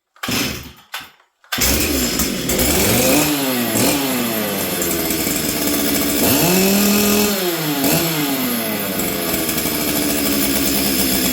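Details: Stihl 044 Arctic two-stroke chainsaw with new correct coil, new spark plug, air filter refitted, started on full choke; revs rise and sag unevenly, burbling instead of holding a clean note.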